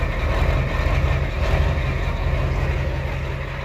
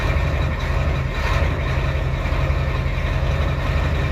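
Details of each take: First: Ford 7.3L IDI diesel after replacing valve cover gaskets and fuel return lines, recorded by the exhaust tip while bleeding the fuel lines; deep clatter with an uneven, slightly lumpy idle, running rough as air purges from the lines. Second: Ford 7.3L IDI diesel after fixing valve cover gaskets and return lines, recorded at the exhaust tip while bleeding air from lines: deep, even idle with steady low rumble, no misses or knocks; normal diesel idle.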